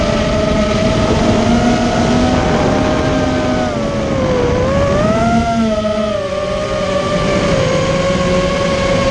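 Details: Immersion Vortex 250 Pro motor test run after trying to fix bad bearing sounds: a clean electric whine rises and falls smoothly with throttle, with no rough grinding or rattle, so the bearings sound healthy now. One motor is barely warm and the others are fine.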